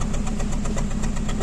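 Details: Hyundai Verna petrol, possibly CNG-fitted, with heavy engine vibration and codes P0300/P0304: loud idle with an uneven, lumpy beat and stumbling pulses, a multiple misfire detected in cylinder four.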